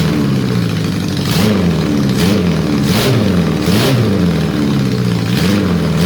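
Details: Honda CB750 four-cylinder restoration, very quiet engine, owner suspects a vacuum leak; blipped with an uneven, lumpy beat; number 4 exhaust stays cold, ignition OK, fuel reaches the carb, so fuel or electrical suspected; one cylinder dead.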